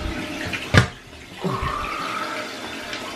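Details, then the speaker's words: Toilet after replacing the fill (filler) valve to cure vibration and noise after flushing: single flush clunk, then smooth steady hiss of tank refilling with no buzz, rattle or vibration; normal refill, problem solved. "all right there's no vibration or loud noise so there you have a guy's problem solve"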